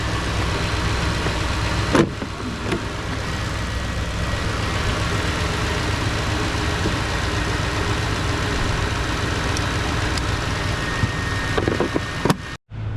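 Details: 2011 Toyota Tundra 4.6L V8 after battery was installed backwards, main fuse link replaced and blown 10 A fuses found; even steady idle, low smooth hum with no misses, stumbles or hunting; running cleanly.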